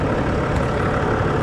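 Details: 2010 Land Rover Discovery 4 3.0 V6 diesel idling after an alternator replacement, now charging at 14.5 V: steady, even low rumble with no knocks, squeal or whine from the front of the engine, a healthy idle.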